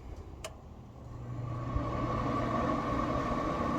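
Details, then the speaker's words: New Z Grills 700D3 pellet grill, initial burn-in, switched to smoke: steady low fan hum with faint even whir building after a second as auger turns, no rattles or scraping; normal pellet grill startup. "And we can hear the fan going. Let's see if the auger's turning. And the auger seems to be turning."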